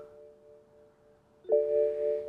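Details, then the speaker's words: BMW N54 335i, cooling system refilled after hybrid turbo install, ignition on, heater on max, accelerator held about 10 seconds for bleed mode: faint steady hum jumps to a louder, even electric whine as the electric coolant pump switches on and runs smoothly. "hold the accelerator I think for 10 seconds we should hear the water pump fire up"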